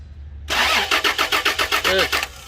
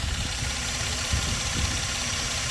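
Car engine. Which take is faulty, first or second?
first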